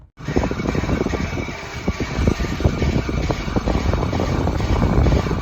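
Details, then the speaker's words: 2012 Chrysler Town & Country Limited minivan, driving with the accelerator only and no brake applied: rough, gritty, uneven grinding from the front wheels over road rumble. The rotors were found scored and very hot. Front brake grinding from scored rotors. "the owner has stated that there is some sounds coming from the front wheels, grinding sounds, and I'm going to play the video for you right now."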